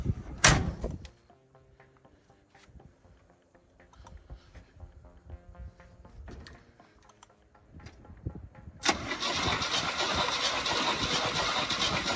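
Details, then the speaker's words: 1972 Chevy C20 3/4-ton with factory 402 big block and automatic, on a booster after a suspected dead battery: a sharp click, then steady cranking churn that never catches. It turns over but won't start. "Oh, it's turning over. Do you hear that? No, nothing. Strange. It just turned over."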